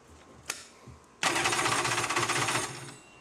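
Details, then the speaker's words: Polaris SL 750 jet ski, rebuilt with new cylinder: quick chattering crank for about a second and a half that never catches; won't fire because the kill-switch safety lanyard was left off. "to remember to put the lanyard back on every time I've done that three four times a gun man what am I doing wrong"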